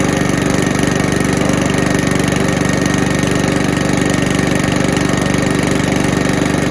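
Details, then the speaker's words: Low-end Mountfield mower, fixed up with fresh oil, cleaned filter and sharpened blades, started after a couple of primes. Steady, even single-cylinder putter at fast idle with no misses or knocks; starts and runs well. "so as you can see it starts and runs really well um and yeah it's a nice clean sort of low end mower"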